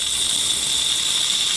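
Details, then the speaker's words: Car AC high-side service port under vacuum: pressing the Schrader valve gives a steady, sharp hiss of air being sucked in; system is holding vacuum as it should, used to draw in AC dye. "So because we're under a vacuum, when I press the Schrader valve down, you should hear a sucking sound. That's just the vacuum sucking in for air."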